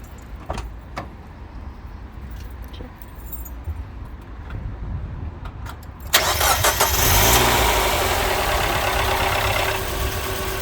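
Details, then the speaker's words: 2003 Mazda MX-5 Miata, first start just after an oil and filter change, run about 10 seconds. Brief fast top-end ticking after cranking settles as oil pressure builds: tappets noisy because the oil drained. Lifter tick on startup. "did you hear the noise at the start that's that's where the order drained and the tappets were a bit noisy"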